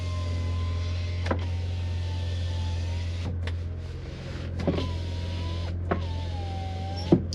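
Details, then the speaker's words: 1990 BMW 325i E30 sedan, 5-speed, 127k miles, original, hot day; power windows run up and down with a steady motor whine of a few seconds each way and a clunk at each stop over engine idle. Normal operation. "We have power windows, and they work. They go up, they go down."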